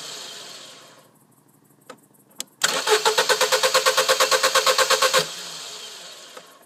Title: No start